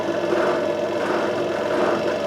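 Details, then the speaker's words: Good Ideas compact twin tub washing machine (Portawash Plus), direct-drive beltless spin side with both safety lids closed: a steady, even hum and smooth drum whir, no knocks or scraping; the spinner runs normally. "it's quite an effective spinner isn't it doesn't need a belt it is a direct drive and has to safety lids so it won't operate without both lids and that's a spinner"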